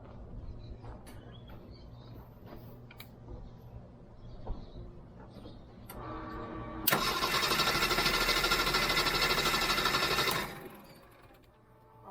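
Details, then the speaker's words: Jeep 4.0L straight-six cranked by a ULiXWH portable jump starter after several starts: quick, strong, even starter whir about three turns a second for three seconds; normal cranking, plenty of charge left. "let's see if it can crank it one more time yeah no problems at all"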